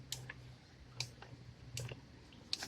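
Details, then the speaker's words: Rebuilt T5 five-speed transmission from a 1994-95 Mustang 5.0, input shaft spun by hand on the bench: light sharp clicks about every three-quarters of a second on first spin that then go away; cause unclear. "I here a little clicking as I first spin it but after that you hear that but after I spin it that goes away"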